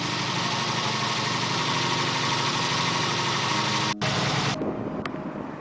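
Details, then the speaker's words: 1987 Honda VF700C Super Magna V4 with cleaned carbs and 110 main jets in all four, carbs not yet gauge-synced: steady, even idle with a smooth, consistent beat and no misses or stumbles before cutting off. "It sounds pretty good. Remember, I'm running 110s in all four. Everybody said I couldn't do that."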